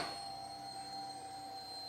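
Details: Fuel pump on an anniversary Harley Road King gives a short, quiet, steady electric whine for about two seconds at first start, before cranking. Tank is low on gas. Normal fuel pump priming.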